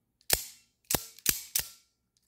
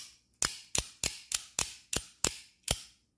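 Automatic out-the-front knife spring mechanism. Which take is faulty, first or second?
first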